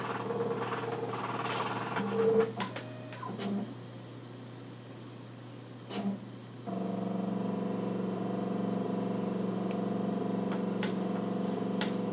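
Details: Nikon LS-8000 ED film scanner doing the second VueScan prescan of color slides, autofocusing; quiet whir with steady motor tones, light clicks and a pitch step as it moves between frames; normal prescan.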